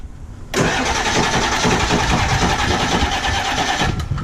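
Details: Ford 7.3 diesel truck that ran out of fuel, system full of air and primed several times, new crank position sensor, weak batteries: fast, uneven cranking around three beats a second as it stumbles and tries to fire.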